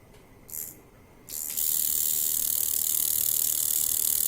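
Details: Coil tattoo machine at about 4 volts, before tuning: a couple of brief starts, then a steady harsh, high-pitched buzz with a very strong hit. Machine is out of tune.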